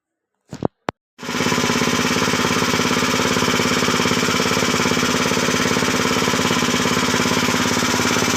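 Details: 7 HP power tiller single-cylinder engine after full teardown and rebuild with new oil: after a short start attempt it settles into steady, even chugging around 200 beats a minute, no knock; healthy running.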